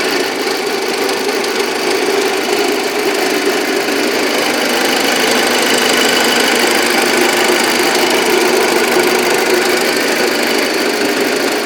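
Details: Audi A6 engine: loud steady idle with a busy metallic tapping, a few knocks each second; engine knock, cause not pinned down.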